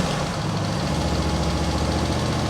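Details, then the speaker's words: Mower with Nikki carburettor, restarted after running poorly: steady, even idle with no misses or knocks. It now runs fine, apparently cured by itself; the owner suspects the earlier trouble was water or moisture in the fuel. "now it runs fine. Nice. Well, for now at least."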